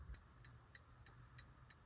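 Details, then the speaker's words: About-1820 verge fusee repeater pocket watch fitted with a longer replacement balance spring, to be shortened step by step; soft even ticking about three beats a second, slower than before: balance running slow. "This is a little better. Definitely slower than that other balance spring I tried. The timekeeping is slow."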